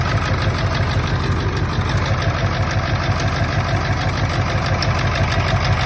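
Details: 1999 Ford F-350 7.3 Powerstroke diesel at idle, still running rough: steady lope around three beats a second, uneven rhythm, one cylinder dropping out; injectors unplugged, one showing no oil; owner suspects an injector, harness to be ohmed.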